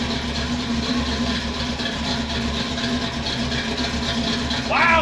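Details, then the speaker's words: Field-find Pontiac Firebird V8 idling after swapping to a loaner 600 CFM Edelbrock carburetor: a steady, even rumble with no misses. It sounds much better and snappy, with good condensation, and is running normally. "so much [Music] better that's what it's supposed to sound like [Music] so Snappy"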